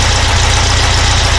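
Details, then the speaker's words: Porsche 912 with Dellorto DRLA carburetors after an update kit was installed and idle mixture adjusted, warm: a steady, even idle with a deeper exhaust throb and no stumbles, running better. "I believe I'm gonna take it for a little Drive you see a run it definitely sounds different I know if the adhere it on camera but it's idle"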